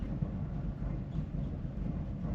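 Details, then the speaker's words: 1988 VW Vanagon while driving after replacing coolant hoses, battery mostly dead and AC belt cut off: rough, uneven low rumble stumbling irregularly, a bad misfire; power feels fine, cause unknown. "Sounds pretty terrible. Oh, it is misfiring real bad right now."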